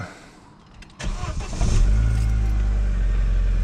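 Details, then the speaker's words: Vauxhall Vectra after fixing an exhaust blow from a cracked manifold with a spare manifold and new gasket: short crank, quick catch and a smooth, deep, even idle with no ticking or chuffing from the manifold. "Listen to that. Now, sweet as a nut."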